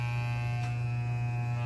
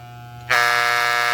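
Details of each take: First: Soling Barber Pro Chrome hair clipper, lubricated, fitted with a ceramic blade that runs louder than the original steel blade: steady even electric buzz with a low hum, no rattle or catching; normal running. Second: Soling Barber Pro Chrome hair clipper: motor hum jumps to a loud, harsh buzz as the tension screw is tightened, drive parts striking from overtightening; backing the screw off until the buzz stops is the usual adjustment.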